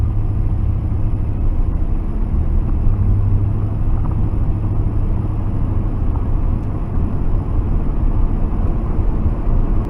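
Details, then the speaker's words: 1992 Ford F-150 4x4 302 V8 revived after sitting 10 years, with old gas, bad tank, water pump bolts repaired and a vacuum line reattached: deep steady rumble, even and smooth, no miss or tapping; runs well. "Seems to run good now. It's a 302. It's a good good engine."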